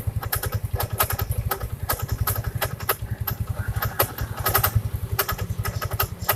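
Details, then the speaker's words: First-generation Yamaha Mio scooter: starts fine, but seconds later a sharp irregular ticking and scraping from the CVT belt-drive side over the idle; mechanic suspects something rubbing at the front, noise vanishing with the cover open. "Pertama dihidupkan halo, tapi beberapa detik kemudian bunyinya kayak gini. Kita cari tahu sumber masalahnya ya."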